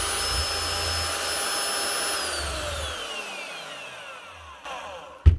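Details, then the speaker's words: Bosch GRW 12 E mixing drill, cement-encrusted, after cleaning and replacing four standard bearings and one needle bearing; brushes half worn: smooth even motor whine winding down cleanly with no rumble or grinding, sounds like new. "sounds like a new machine now"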